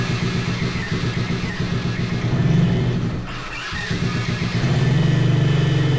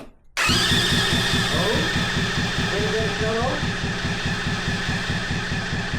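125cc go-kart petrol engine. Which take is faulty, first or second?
second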